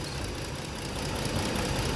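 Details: Ford engine with rough, lumpy idle from one dead cylinder; a newly replaced coil was swapped but the misfire stayed on that cylinder. Coil supply ~13 V is present but the igniter gives no output, so there is no spark.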